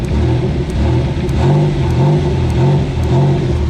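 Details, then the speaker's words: Nissan Gloria turbo producing no boost after intercooler leak, revved: faint light tick about every half second shows the boost control solenoid clicking open normally; owner suspects wastegate actuator stuck open. "If you can actually hear it tipping, so I'm going to just rev the throttle. And you should be able to hear that tipping, like tapping, clicking open."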